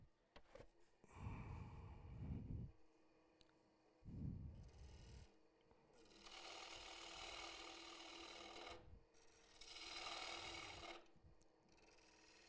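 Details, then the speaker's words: Turning a wood and epoxy bowl: an aggressive tool cut makes harsh crackling as the epoxy shatters, whereas slow cuts remove it in ribbons. "Now, if I go rough on that, you hear it shattering. If you go slow on it, you see it coming out in ribbons."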